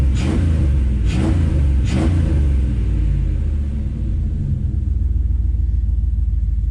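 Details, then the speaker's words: Trackhawk SUV small-block V8 after tune-up and service, cold, after throttle-body cleaning, firing order confirmed right: a few throttle blips settle into a deep even idle, no misfire; better oil pressure than before. Normal idle. "And it turns out, hey, guess what? I got the firing order right. Oh, that sounds healthy now."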